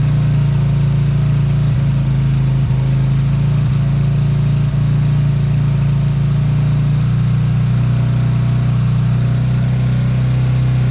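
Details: Beaten-up old Lexmoto bike after the carb fuel feed was fixed, idling to circulate oil: a smooth, low, even hum with the pitch easing slightly partway through. Normal idle.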